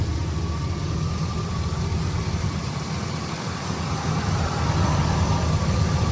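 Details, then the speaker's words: 4x4 2500 truck with 6.0 engine, 174,000 miles, power steering leak, several stored codes: steady even low rumble at idle, no knocks or misses; sounds good, no visible oil burning. "Doesn't look like it's burning oil. Sounds good. Cut it off."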